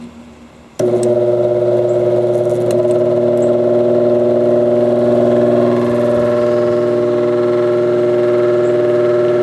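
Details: Recently bought vintage apparently single-speed oscillating fan, oscillator parts missing, first run by its owner, with an erratic switch: spins up into a steady hum and whine with a buzz about four times a second; noisy motor, thought high-mileage, cause unconfirmed.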